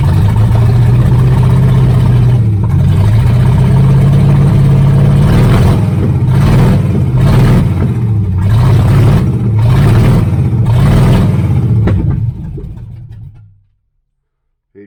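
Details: 1978 Chevrolet Nova V8 (305 or 350), abandoned 25 years, carburettor from a 76 El Camino, no exhaust fitted: very loud open-pipe rumble surging unevenly about twelve seconds, then dies; rough running and stalling, owner suspects timing.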